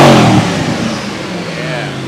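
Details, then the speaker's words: Ford GT: sharp rev blip dies away with a clear whine falling in pitch as revs drop; normal supercharger whine. "And right here is where you hear the supercharger."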